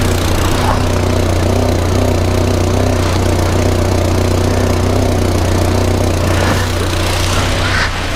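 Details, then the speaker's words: 1994 Volvo 480 2.0L, first start after fitting the replacement downpipe (a manufacturer-admitted defect): a low chuffing exhaust blow pulses with the idle, a pressurised leak from the rear exhaust coupling joint rather than a knock; the front now seems sealed. "that's not a bad start but you know what I can hear an exhaust blow I think I can hear an exhaust blow from the rear"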